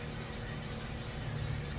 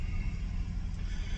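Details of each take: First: 2004 Toyota Avalon cold-start idle after timing work (previously one tooth off) and O2 sensor wiring repair: quiet, even low hum with no ticking or misses, slightly rough; judged good, with O2 sensors still reading no voltage. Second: 2004 Toyota Avalon after long timing and O2 sensor work, on the third start-up before a test drive: a deep, uneven idle rumble with irregular pulses, rougher than the owner remembers. Cause unclear.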